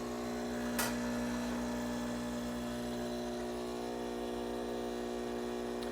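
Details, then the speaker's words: Nurri R-Type HX heat-exchanger espresso machine at initial start-up: steady low buzzing pump hum with fine rapid pulse as pump draws water from rear reservoir to fill boiler over heating element, normal. "okay this is kind of the natural sound when the pump is taking water from the reservoir and pumping it to fill the boiler internally"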